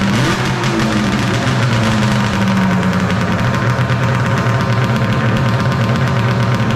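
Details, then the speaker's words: 1995 Polaris Storm 800 triple two-stroke, 1,500 miles, after setting all three carb air screws to 5.5 turns out, air box refitted; steady even idle with smooth burble, no misses or stumbles; normal idle, fix successful. "Sounds like it's running pretty good now. Alright guys, we got the air box back in, running good."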